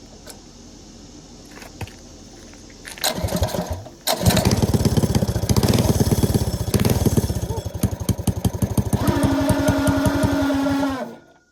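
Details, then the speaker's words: Go-kart small engine started with a fair bit of throttle, heavy kickback: catches, then harsh clattering rattle and rising whine under load. "What the hell was that noise? Is it trying to engage the clutch? Well, I'm hoping it was. Because that sounded horrible."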